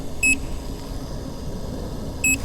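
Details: Nikola Plus 100V 1845Wh electric unicycle at end of full range test, battery essentially zero, heavy tilt-back: two short high-pitched beeps about two seconds apart over faint background, warning the battery is nearly flat.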